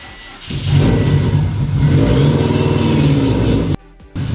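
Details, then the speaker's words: Freshly built Subaru engine on first start, 92–96 psi oil pressure: catches and settles into loud, uneven low rumble with unsteady beat; runs rough, needs a tune. "Now we just need to tune really bad. So that's good to know. It's mainly what we were starting this for today, so it needs a tune."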